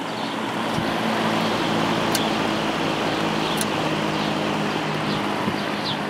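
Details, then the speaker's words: Lakewood S23 fan after blade straightening, blade cleaning and oiling the motor (took a large amount of oil); steady whooshing air, smooth low hum, no ticking, rubbing or wobble, faster low speed, running evenly. "I I I'm going to use this fan tonight and the faster low speed will definitely be appreciated because it's very hot right now."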